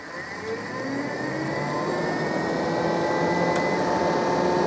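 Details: 2003 Abbey Inspiration 520L caravan electric roof vent fan, vent opened about 70-80 degrees: smooth electric whir whose tone climbs as speed control is turned up, no rattle or scraping; working normally.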